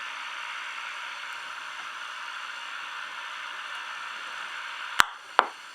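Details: Ranger RCI 2950 CB radio: steady internally generated hiss with no signal, then two sharp clicks; static changes as the bracket nuts are tightened or loosened, suggesting a poor contact or grounding issue at the bracket.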